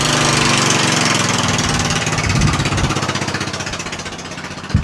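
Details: Murray lawn tractor single-cylinder engine after a valve adjustment. Thumping at about three beats a second, easing down steadily as it slows; the engine runs evenly.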